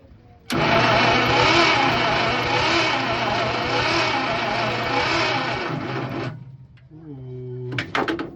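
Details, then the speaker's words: 1951 Packard straight-8, 6-volt, sitting 30-plus years, cranked with jump starter after fixing grounded points wire: six seconds of fast even cranking without compression beats; no compression on cylinder one, stuck valves suspected. "To my knowledge, I know the motor ran before it was parked, and I'm gonna assume that they're stuck valves."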